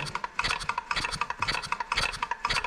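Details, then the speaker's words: Scooter two-stroke with Stage6 65 kit and new piston, at idle: fast, irregular puffing and spitting back out of the carb; over-prepared reed valve with only 0.5 mm petal seating surface not sealing. "entend le carb fait F F F F ça c'est ça c'est parce que le clapet est pas super étanche normalement on devrait pas entendre de F F fite"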